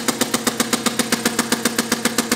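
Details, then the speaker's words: Compressed-air inverted hit-and-miss model engine (1 in stroke, 1.5 in bore) running in straight four-stroke mode with no governor, air throttled back to a slow idle: even, crisp puffs with steady spacing, a healthy idle. "here you see it will idle pretty slow"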